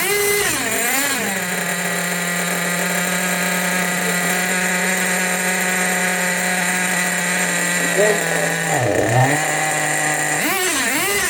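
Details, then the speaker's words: Tamiya Nitrage 5.2 1/8 nitro truggy from storage, after freeing up the carb and fitting the air filter: a steady buzzing drone with soft, blubbery blips and smoke; still running rich. "it's a ripper it's a smoky Ripper it's really nice and Rich but it's a rip this is going to rip do"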